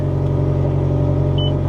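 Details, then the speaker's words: Mazda Miata with SkyActiv engine, cold start after sitting at auction: low, uneven rumble and unsteady throb that sounded really bad at first, then cleaned up; resonator appears deleted; rough running after cold start. "well not sounds better that's bizarre it sounded really bad and then it seemed like it cleaned up"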